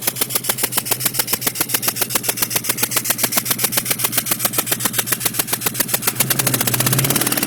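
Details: 2002 GT idling: sharp even puffing tick about four per second, compression escaping where third cylinder passenger side blew its spark plug out; re-threading fixed it.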